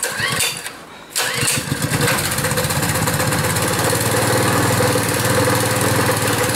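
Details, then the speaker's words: Pull-start small engine cold-started after very hard pulls and several failed attempts: brief quiet pull, then it catches and settles into a steady, even putter with no misses, running normally after cold start. "Anyways, that one seemed to go."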